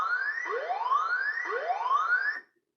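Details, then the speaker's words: Water level alarm panel with 4 sensors and TOA horn speaker: tank at 0% triggers a rising siren sweep about once a second with voice message "air habis 0%, nyalakan pompa segera", distinct from the 25% pre-alarm. "itu tadi untuk air Habis 0% suaranya berbeda dengan air habis"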